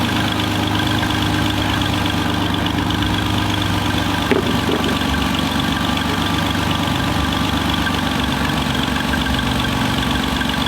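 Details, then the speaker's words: 2007 Jeep Wrangler JK 3.8 litre V6 after alternator replacement: steady, even idle with smooth low rumble and no alternator whine, which it had before; charging system sounds quiet and healthy. "this is sounding so much better you shouldn't hear anything from your alternator that means the project's done this car is ready to go"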